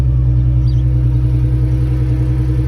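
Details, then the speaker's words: 2003 Ford Mustang 3.8 V6 running after the cranking screeching noise was fixed: smooth even low rumble with no squeal or screech; engine sounds healthy. "car sounds good."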